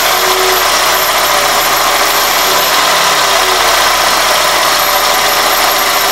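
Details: 2001 Toyota Corolla at idle: a thin high whistle, intermittent when the throttle is blipped, that persists with the belt and IAC removed. It was fixed by cleaning the dirty throttle body and IAC valve and fitting new gaskets.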